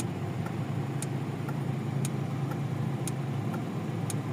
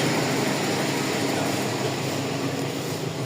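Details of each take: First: Toyota Corolla GLI 4A-FE petrol engine after idle and misfire repair, with AC compressor clutch relay checked; now a low, steady, quiet idle with no stumbling. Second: Toyota Corolla GLI 4A-FE petrol engine, already misfiring: idle sags and turns rougher when the AC engages, dropping almost to stalling as the idle-up responds too slowly.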